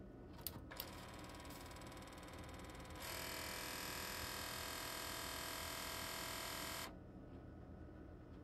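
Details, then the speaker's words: Fisher CD player, long unused: few clicks at switch-on, then harsh buzzing drone about four seconds stopping abruptly, showing an E (air?) error; possible mechanism jam, suspected, not confirmed. "that's it makes a bunch of noise and throws up an e for air I'm assuming"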